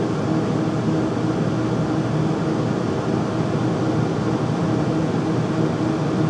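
Steady loud rushing drone with a faint constant hum riding on it and no knocks or changes; furnace noisy while running, cause unclear.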